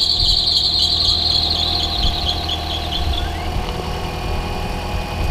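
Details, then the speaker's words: 2009 Toyota Corolla 1.8 idling right after water pump replacement, loud high-pitched squeal fading after a few seconds from pulleys; serpentine/fan belt still slightly loose, needs tightening. "Hear that squeal? That's because the fan belt's still a little"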